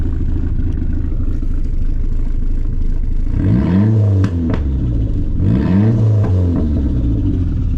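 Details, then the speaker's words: SRT-4 with unknown engine, resealed engine and upgraded fuel system, first start-up after fixing big oil leak: steady warm idle with light blips rising and falling cleanly, no knocks or misses; normal revving. "Listen to this thing. It's gonna be a beast. That's some little baby revs."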